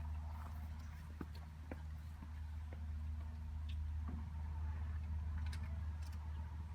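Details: 2012 Ford F550 6.7L Powerstroke diesel idling with resonator installed, mic 16 inches from the tips: deep even low drone with a steady beat about four per second, no knocks; smooth idle.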